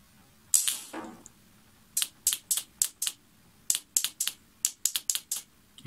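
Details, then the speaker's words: Generic Ideo 50cc two-stroke scooter starter solenoid bench-tested on the 12 V motorcycle battery: sharp crisp clicks in quick bursts each time power is applied; coil and contacts working, no fault found. "Hãy xem cuộn dây có kêu tách khi được cấp điện không."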